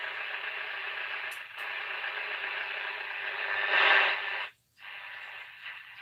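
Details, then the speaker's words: Radio reported to receive AM fine but FM poorly; tested on AM: thin, narrow-band audio over light hiss with a short dropout while tuning, pulling in AM stations normally. "it's a Tony saying that some am is fine but FM is not so good so that's some at the moment so start off on I am"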